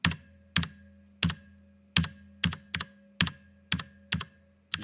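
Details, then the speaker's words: Stock factory-lubed Cherry MX Brown switch in a Drop ALT low-profile keyboard. Keystrokes about twice a second, each with a scratchy tail and spring ring; plastic rubbing on plastic, and the switch rattles from a loose fit in the board. "hear the plastic rubbing on the plastic and you can hear the switch sort of rattling because it's not it's not a really snug fit with the board"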